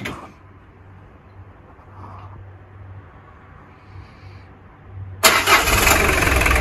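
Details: Peugeot 205 diesel, cold start after new glow plugs were fitted to fix hard cold starting: quiet, then a short crank and it catches at once, settling into an even diesel clatter; a clean, healthy start, confirming the fix.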